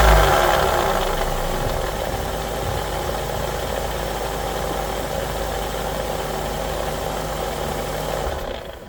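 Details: Nissan CVT transmission: loud rough growl over the running drivetrain stays steady then fades; growling transmission, cause not known.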